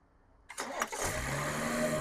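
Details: BMW petrol engine after replacing long-overdue, badly worn spark plugs: short crank, fires first try and settles straight into a smooth, steady idle with no stumble; a clean start.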